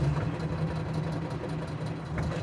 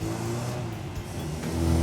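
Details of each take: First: Classic car idling out of gear after a road test; a steady low drone with a faint rhythmic, trumpet-like pulse, not a rattle and no vibration through the gear stick; source unidentified, possibly an axle. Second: Customer's car on a road test after restoration work: even, steady engine note under light throttle, rising smoothly with no knocks or misses. The car ran quite well with no problems.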